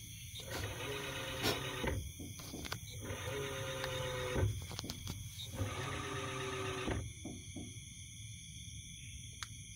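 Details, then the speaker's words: Toshiba inverter washing machine on a modified power board, door lock and sensor bypassed: short roughly 1.5-second bursts of motor whine with pauses as the drum weighs the load; normal. "Okey, sekarang ni motor dah dia dah timbang air semua dia timbang sini."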